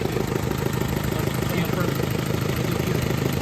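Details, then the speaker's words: Turbocharged Mira idling, recorded near the turbo: an even puffing tick about twice a second. Suspected exhaust leak, either an exhaust manifold gasket or a crack somewhere, unconfirmed. "Gasket on the exhaust manifold, or it could be cracked somewhere."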